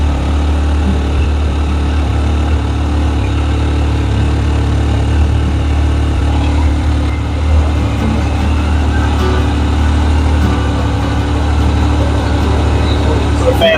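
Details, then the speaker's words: Yamaha YXZ1000R with a radiator fan reverse switch and relay fitted: a steady low idle with an even fan whoosh as the fan switches on by itself at about 207°F, dropping the temperature to about 195°F within seconds; the fan is working normally. "just kicked on you can hear of fans just kicked on without us muching anything so it's showing 207 now it's blowing really warm in here"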